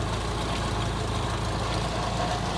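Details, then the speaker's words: Geo Metro boneyard car cold-started on a 20°F February day after sitting 4-6 months, hand-primed fuel pump: small engine settles into a steady, even idle, no misses or knocks; runs fine. "Well, that's been sitting for at least 4, 5, maybe 6 months. Not too bad."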